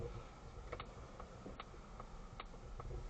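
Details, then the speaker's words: Polestar 2 driving and turning: sharp regular clicks two or three times a second with squeaking and knocking over road rumble, suspension noise persisting after four repairs and newly engineered strut bearings. "audible when turning right obviously I'm turning left at the moment hear that squeaking a is knocking and clicking noises squeaking as well"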